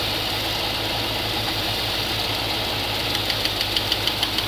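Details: GMC 3500 454 V8 idling with valve cover off, mid valve adjustment: light sharp tick about three times a second over the idle; rockers found really tight, each set a quarter turn past where the tick goes away.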